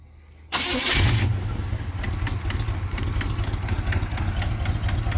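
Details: 1986 GMC Sierra C10 first start after sitting 5 years, fuel pump output being tested: catches at once and settles into a steady, even low rumble with no stumbling; pump delivering fine, normal running.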